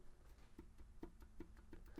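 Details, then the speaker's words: Subaru BRZ FA20 engine removed and torn down, oil pan off, cylinder two rod rocked by hand with mic close: six sharp hollow clunks in about two seconds from excess play; rod knock from a spun rod bearing on cylinder two. "that is our noise in this engine that is the fault with this engine we spun a rod bearing on cylinder two"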